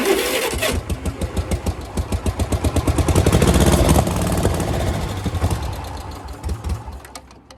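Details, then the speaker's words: Yazoo mower at its first start, with gas poured down the carburetor and the float bowl filling: the small single-cylinder settles into a steady pulsing run of about four beats a second, then winds down; running normally. "and it's running sounds pretty darn good"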